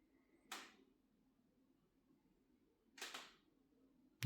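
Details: LG OLED 77-inch G5 TV making permanent popping noises: three sharp, dry pops in a quiet room, spaced one to two and a half seconds apart.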